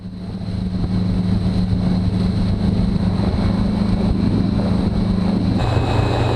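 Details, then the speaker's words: 2020 Mercury 150hp four-stroke outboard on a 2000 Sea Fox 192 center console, motor raised 1.5 in (third hole), WOT 5800 rpm at 45.6 mph. A steady drone thins and hisses as trim comes up and the prop ventilates. "It still looks like it's a little bit under the water, but I'm going to trim up here and then you'll actually be able to hear that it starts ventilating a little bit."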